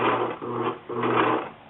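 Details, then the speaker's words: Singer 6412 Millennium Series sewing machine sewing: uneven, stuttering bursts with rough hum from the right side, skipping and grinding caused by a loose internal screw. "So, if you listen carefully, the sound is actually coming from this department over here. And you hear it's actually skipping."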